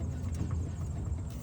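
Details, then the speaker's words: VW Jetta MK6 revving: low engine rumble with loose irregular metallic clacks, like a jackhammer under the front dash, as a newly welded-in catalytic converter's mounting tabs bounce off the crossmember; owner plans to bend tabs or unbolt crossmember. "So every time I rev it up sounds like someone's running a jackhammer underneath the front dash."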